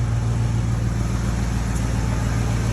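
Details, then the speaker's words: Ford F150 idling after installing two new catalytic converters, with an exhaust clamp still leaking and needing tightening. Deep, steady, even low rumble: a smooth, healthy idle. "Oh, listen to that girl hum. Sounds nice. Two cats on this thing will make it run so much better."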